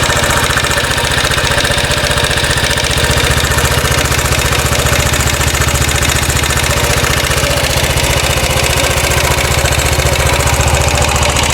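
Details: 2013 Royal Enfield Classic 500 single, rebuilt after teardown for stray M5x35 bolts: decompressor noise gone, idle with a quick even ticking rattle three to four a second, seemingly top end; oil level okay, owner to check tappets and rockers, unconfirmed.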